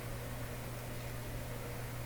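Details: Canadian Admiral J104X/J105X console amplifier powered up on a dim-bulb tester during hum troubleshooting: steady low-pitched mains hum under everything, unchanging, coming through the amplifier.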